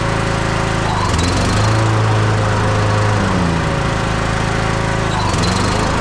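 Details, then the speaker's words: Husqvarna YTH21K42 riding mower after replacing the 101.4-inch deck belt, which kept coming off the drive pulley when blades engaged, with a 100-inch belt: steady low drone with pitch shifts as blades engage and disengage, no slap or squeal; belt stays on. "so the M's working good a the blades are on good and tight and that belt hasn't come off once"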